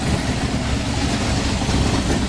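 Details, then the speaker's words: Maserati Quattroporte S 4.7L V8 with its cats removed and the fuel system flushed with carb cleaner: a low, lumpy, stumbling idle that is as bad as before the work. Rough idle, cause not found. "Oh yeah, runs like absolute crap. Yeah, that's what I expected after all that work."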